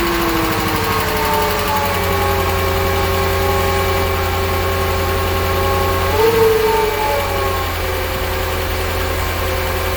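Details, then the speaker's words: Mercedes CL55 AMG, first start: the engine idles with a busy, uneven ticking chatter over a deep drone and a brief surge midway. The cause of the abnormal noise is not yet diagnosed. "wow so it starts and i'm worried about that noise uh so we're gonna end the video here uh and i will proceed with an update uh when i diagnose what that noise was"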